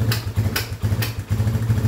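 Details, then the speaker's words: Motorcycle/ATV engine running rough at idle with sharp exhaust pops about every half second, attributed to a lean fuel mixture; popping may also occur on throttle. "Your engine's running rough and it's popping. It might pop at idle like this."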